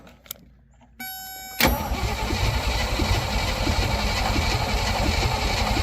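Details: Willys CJ5 (around 1971) with AMC 304, sat for years, gas poured down the carb: short starter bump then steady cranking about four turns a second, never fires; spark not confirmed, consistent with no spark.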